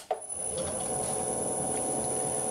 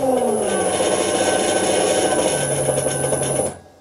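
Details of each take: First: Motor on a hundred-year-old bench lathe driven by a VFD at 20 Hz with torque compensation setting changed to stop error 6 cutouts: soft start then steady hum with thin drive whine, much less rumbling. Normal motor run. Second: Century-old bench lathe driven through a VFD with the default torque compensation setting, running at 20 Hz: rough, rasping run with a high whine and wavering hum, then it cuts out on error 6 (overcurrent). At 50 Hz (~500 rpm) it keeps running.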